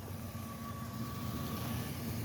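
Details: Infiniti QX56 (a second one, after front-cover engine work): even, steady low idle with a faint constant whine on top and no knocks or misses; engine running normally.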